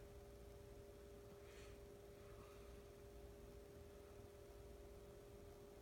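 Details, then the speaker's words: Emerson Heat Fan K63 52-inch four-blade two-speed "blender" ceiling fan on low via solid-state variable speed control: very faint steady hum with soft tones, very little buzz, no rattle, living-room quiet. Normal running. "pretty quiet very little buzz and huntin very little hum on this you have to go right up to it demon hear it"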